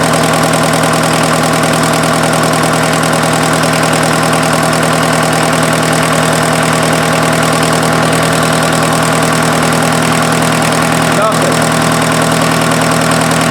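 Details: Freshened-up diesel in an offroad Mazda truck just after first start, following an odd sound the owner suspects came from the belt being one tooth off: a steady, even idle clatter at a constant rhythm with no misses or knocks. No coolant smoke; normal idle.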